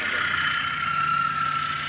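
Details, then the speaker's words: Car that would not crank though dashboard lights came on, now starting after a starter service (battery not the problem): engine idles smoothly with a steady hum and faint even whine, no misses or knocks, healthy. "चालू हो रही है बराबर perfect ठीक है तो देख लो दोस्तों य गाड़ी चालू हो चुकी है"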